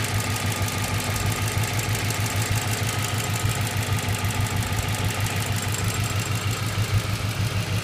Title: Ticking noise